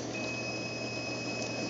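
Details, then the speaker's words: Tunze Universal Osmolator 3155 top-off on a 40-gallon reef tank: a thin steady high whistle over room hum is the controller's audible high-water alarm after the backup float switch rose and tripped, which also shuts off the pump. "If you guys can hear that little whistle, that's the controller sounding you an audible alarm, letting you know that something's wrong."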